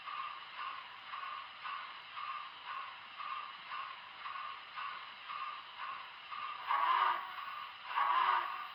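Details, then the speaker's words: Broadway Limited Imports 2025 Big Boy 4014 model locomotive with sound: light sharp motor tick about twice a second over quiet hum, very loud; cause unknown, reportedly common to these Big Boy models. "had this motor ticking too. You'll hear it in one of these shots here. You might hear it in this next one as well, but the motor ticking is very loud, and I'm not sure why it has that."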